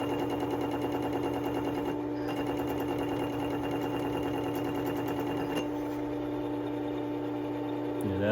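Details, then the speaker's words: Work Sharp 3000 with diamond wheel, 800-grit disc: steady motor hum with fast rhythmic thump about three times a second; bumpy because silicone spray residue wasn't cleaned off under the disc. "now you'll hear this 800 being bumpy because I did not take the the silicone spray off as well as I should have I was just too lazy to do it and now I got to listen to this the whole time"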